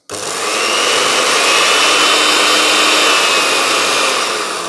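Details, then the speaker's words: Secondhand blender from charity shop, after passing earth test: motor spins up quickly to a steady high whir with even pitch, no grinding or rattle; normal motor running. "Let's see if it goes. That sounds pretty good."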